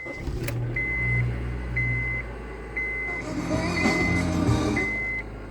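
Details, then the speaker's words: 2006 Honda Civic, bought about two months earlier and running fine, makes a loud high pulsing "wow wow" whir about once a second over low engine hum; owner unsure if normal. "Hey guys, so my car is making this weird whirring sound, so I don't really know if it's normal or not for a 2006 Honda."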